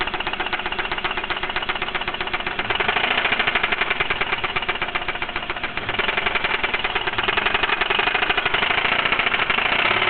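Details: Mitsubishi 3000GT at idle; quick, even, light and sharp ticking about four a second, steady throughout, from inside the engine; owner suspects lifter tick or spun bearing, undetermined.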